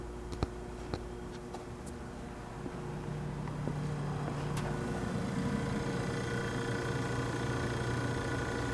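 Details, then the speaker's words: Vintage Westinghouse fridge under repair after earlier botched repairs: a few ticks, then a steady low compressor hum, smooth and even with no knocking. Frost reaches all the way to the return line and the thermostat bellows works. Normal compressor run. "it sure sounds good so we've got a full frost all the way to the return line"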